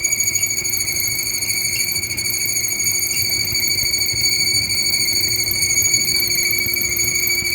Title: Whirlpool stacked washer dryer squeaking noise